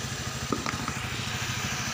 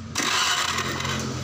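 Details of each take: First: Honda Vario Techno 125 scooter brought in for sudden ignition loss and stalling while riding. It idles steadily and evenly while the charging fuse is pulled during fuse checks, with no fault audible. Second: Honda Vario Techno 125 scooter that died suddenly while riding; lights, indicators and horn work with key on, but the starter cranks steadily with no firing and it won't start. No spark at the plug or coil lead, so ignition loss.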